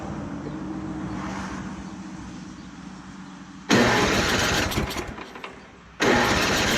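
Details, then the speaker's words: Free secondhand snowblower before rebuild, pull-cord cranking after priming: firm pulls through solid compression but no firing; ignition switch off, no spark. "Sounds like it's got compression. So let's grab a little go-go juice."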